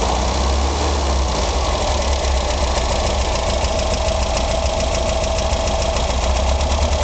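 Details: Engine at steady idle with a light, uneven tapping about three times a second, persisting after the valves were just adjusted; knock of unknown origin.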